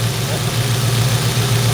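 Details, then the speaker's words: 1972 Ford Mustang 351 V8, 2-barrel carburetor replaced by throttle body fuel injection from an old Chevy pickup: steady, even low idle rumble, no misses or knocks; runs pretty smooth, normal idle. "So, it runs seems to be pretty smooth. Seems to uh seems to run pretty well."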